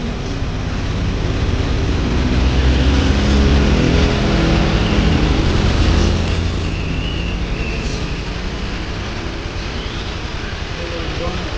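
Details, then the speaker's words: Honda Beat injection ESP scooter after fuel pump replacement for weak pull and hard starting: even, smooth drone holding steady while riding in traffic, no misses or stumbles; runs properly now. "Oke gagal Ya sudah ya bang ahah mantap suaranya halus I halus sekarang"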